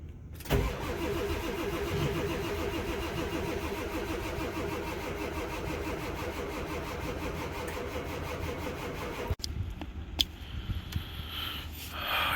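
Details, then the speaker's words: Ford 7.3 Powerstroke diesel, cold-natured and on very low batteries with jump packs after an hour on the charger, cranks steadily for about nine seconds after the glow plug cycle but never fires; glow plugs inoperative, found after fixing a shorted fuel heater and a cracked-cap fuel leak. "i'll let the glow plug cycle and then let's even get to start well hell i was hoping that was going to work"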